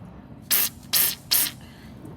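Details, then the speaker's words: Engine-off cooling system pressure test on a 1956 Ford Thunderbird that sat about 5 years: short sharp hisses as coolant leaks, pressure dropping quickly, upper hose wet and dripping onto the bypass, seeping where the hose meets the radiator tank; radiator to be sent out. "All right, well, pressure's dropping really quick. I hear it tinkling. So we're wet here in the upper hose because it's dripping onto the bypass."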